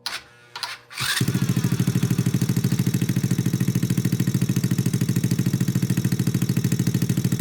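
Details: Honda Grom clone single-cylinder after valve adjustment, idle turned down: catches after brief crank, steady even putter about three beats a second; normal idle, mixture still to be tuned.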